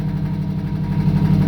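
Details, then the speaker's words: 1965 Mustang Fastback V8, warm after half an hour running, oil pressure rising to 25 on revs: dull, regular knock under the rumble keeping time with engine speed; suspected bottom-end knock, led to swapping in a 1989 5.0L. "if you hear that knock as he revs it the oil pressure goes up which is good 25 but that knock is what's scaring me"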